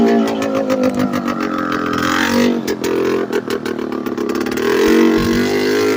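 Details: Late-1990s Polaris Explorer two-stroke ATV with no exhaust fitted: a harsh, raw, crackling unmuffled bark rising and falling with throttle and gear changes; it idles high and shifts poorly at idle.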